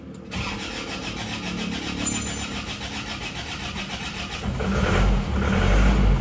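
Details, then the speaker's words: Newly assembled diesel engine, fuel lines still empty: brief quick cranking, then it fires at once and settles into a smooth, even idle with no misses or knocks, no longer smoking; normal start. "langsung hidup ya Engak enggak begitu sulit ternyata Alhamdulillah hidupnya rata suaranya halus"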